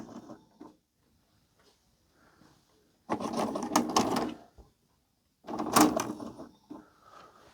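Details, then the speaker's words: Panasonic NV-HD600 MK2A VCR from the 1990s, after mode switch cleaning: whirring and clicking as the cassette loads and drops, no drum spin-up, then a whir as it ejects, same as before; a faulty sensor switch is suspected. "The tape will go in and go down and then the motor doesn't spin up or anything and it kicks it out again, which is what it was doing at the start."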